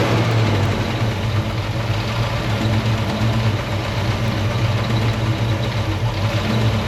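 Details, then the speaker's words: 1968 Mustang 302 V8 after installing a Pertronix Flame Thrower distributor and coil and Moroso plug wires, timing checked with a timing light: even rumbling idle, steady rhythm, no popping or stumbling; idles cleanly. "It sounds like it's idling happy. I'm gonna take it for a rip and see how that goes."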